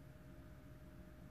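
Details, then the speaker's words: 2007 BMW 118d 2.0 diesel non-runner with no engine ECU (DDE) communication, first ignition-on: faint steady hum from the in-tank fuel pump keeps running when it should have shut off. "so the pump in the tank is constantly going oh it's still running"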